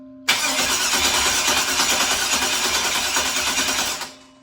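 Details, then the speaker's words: 2003 LM4 aluminum 5.3L LS V8, carbureted with bowls hand-filled, no fuel system yet: starter spins engine steadily nearly four seconds, about three beats a second, never catches; crank no-start, owner suspects the ignition switch is acting up. "So I think the switch is acting up, so let me see if it fires up now."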